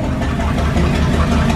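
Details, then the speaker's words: 1978 motorhome 440 big-block V8, unrun for years, for a 1974 Plymouth Cuda, on custom run stand, good oil pressure holding when revved: deep, steady, even burble, no knocks or misses, runs clean; normal idle. "it runs so good it's so clean"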